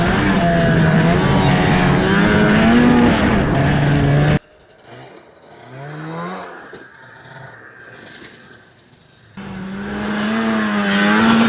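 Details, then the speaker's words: 32-year-old Ski-doo snowmobile bought for $100, riding at a pole line: engine revs high and wavers up and down under power without steady pull; the drive track is slipping badly. It was later towed home. "You can hear it too, the track is slipping super bad. That can't be good."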